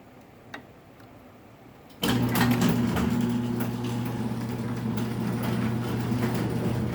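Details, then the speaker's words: Raynor 270-7 garage door opener on a small door run from outside keypad; motor hums while the maxed-out, slightly too-long chain drags and pops near the front, about three times a second; owner plans a front roller. "Hear that popping? That's the chain up front."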